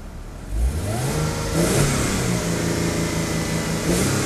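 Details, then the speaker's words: 2000 Mercedes-Benz C240 V6, 76,000 km, revved below 4,000 rpm; smooth note climbs and falls evenly with each blip, steady idle between, no knocks or rattles; normal revving. "so we just turn that off and we'll give it a little bit of a a REV so we can have a look at the engine"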